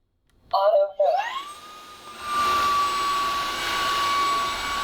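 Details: Cordless wet-dry floor washer, about a year old, with water and cleaning solution in the tank: after a couple of start-up chirps the motor settles into a steady high whine with faint hiss; loud but normal running.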